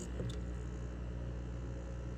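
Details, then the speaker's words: Magnet-driven aquarium air pump after being taken apart and repaired for loud noise, lid back on, finger over the outlet to simulate tubing: only a low, even hum with no rattle or buzz; nearly silent, normal running. "Now it's silent again. I'm sure the fish will be happy."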